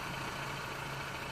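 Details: 1996 Toyota Camry 2.2 L four-cylinder, after replacing distributor with integrated camshaft position sensor for crank-no-start P0340: steady even idle, constant low hum, no rattle or shake; normal idle.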